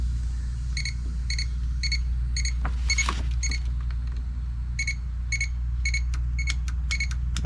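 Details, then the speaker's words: Ford Crown Victoria Police Interceptor rear door window motor jumped directly with power: short dry clicks but no running whir; the motor is bound up or seized. "See, I hear it clicking. All right. So, there's evidently there's something wrong with this motor. It's like bound up or something."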